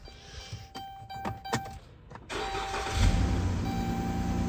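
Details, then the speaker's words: 2015 Dodge Grand Caravan 3.6L V6 with P0303 and P219A, after swapping coils one and three: cranks and catches into slightly lumpy, uneven idle; misfire stays on cylinder three, so probably not the coil; check-engine light on, not flashing. "okay sadly still missing I can hear it missing lights on but not flashing"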